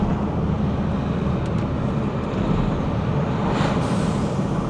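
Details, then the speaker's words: 2010 Nissan Qashqai, 180,000 miles, driving under acceleration after overheating, limp-mode and brake repairs: engine pulling over road rumble, then a brief airy whoosh like a dump valve; cause not identified. "You know, people pay for that kind of noise. People pay for big dump valves on the Scoobies, and we've got it on the Qashqai for free."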